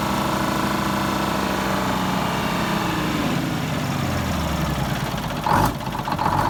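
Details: 74-year-old Greyhound bus diesel, fired up after fuel feed work to injectors and new start-stop box wiring, checking for leaks: catches and settles into a steady, even rumble with speed easing down, no misfire or knock; fuel system running right.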